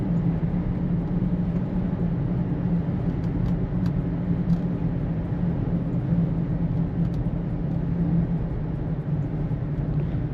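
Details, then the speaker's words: Toyota Prius on a road test at 42–44 mph after ABS speed sensor harness repair: steady low drone or light drumming, seemingly from the rear; worn wheel bearing suspected, not confirmed. "It's not much off, but it definitely sounds like that's some light drumming. I think that's from the rear."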